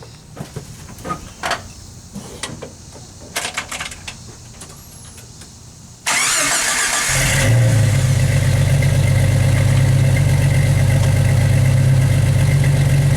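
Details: 1991 Jeep Wrangler YJ after replacing holed exhaust with new muffler and tailpipe from the cat back: cranks, catches and settles into deep even idle, smooth tight exhaust with no leaks, rattles or fume smell.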